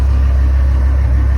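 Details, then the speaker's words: 6.8 L V10 after broken exhaust stud repair (one crooked hole into the water jacket, now a threaded rod, possibly 3/8), about 300 miles later: low, even idle with no ticking or exhaust puffing; running smoothly. "I am amazed that I was able to repair this but as you can hear it is running driving"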